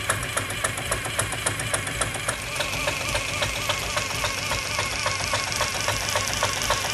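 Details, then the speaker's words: PM Research 6CI horizontal steam engine kit (1/4 HP) run on compressed air under load, exhaust wrapped in a rag: even light ticking about three and a half times a second, no knock; rod linkage quiet, normal. "I've wrapped the exhaust pipe with this rag to quiet down the exhaust so you can hear how quiet the connecting rod linkage is while the engine's running"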